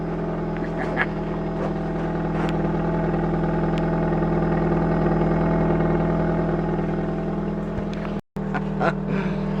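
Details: 2004 Nissan Sentra 1.8L after rusted muffler and pipe replacement with a Toyota muffler, in cold, frosty weather: a steady, even exhaust drone with a clean low hum and no puffing, ticking or rattle. Sounds leak-free.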